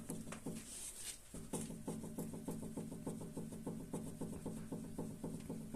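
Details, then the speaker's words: Volkswagen Passat B6 raised, front sway bar end link moved up and down by hand: quick hollow clacks from the worn link, the cause of front rattling over small bumps; to be replaced. "этот бряканье по всему кузову очень неприятные Так что виновник выявлен будем менять"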